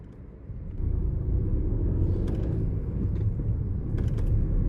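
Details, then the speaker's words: Car accelerating in gear, engine note heard as a shift cue for learner drivers (shift at around 2000 rpm): a low drone swells and deepens under load, a normal sign that it is time to change up. "So as you speed gradually, the engine noise becomes a lot more deeper. As soon as you hear a slight change, that deeper noise, change it immediately."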